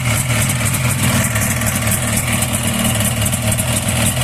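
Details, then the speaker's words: Buran Lider snowmobile two-stroke engine, fan cover removed, idling: fast, steady ticking knock over loud idle; fan bearing checked and seemingly not the cause, knock seems inside the cylinders, crankshaft or piston suspected, to be disassembled. "Вот сняли кожух. Слышь, стук где-то. Коленвал. Или поршень."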